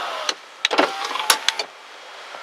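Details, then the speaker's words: 2000 Ford Expedition driver's door, key on accessory, recorded inside the vehicle: sharp irregular clicks over the whirring window motor as the glass travels; the owner suspects a loose entry-keypad wire or a loose rod inside the door. "I'm going to put the window up and down and you'll hear it [Applause] clicking."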